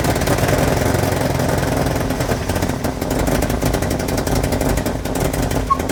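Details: Nissan 240SX S14 after head gasket and timing chain replacement, timing still off, overheating history: uneven loping low idle with ragged beat; idle screw set too low.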